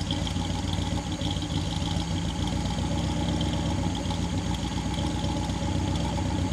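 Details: 1959 Daimler SP250 barn find, idling after cold start: smooth, even low burble with no misses, knocks or ticking over the exhaust note; healthy engine.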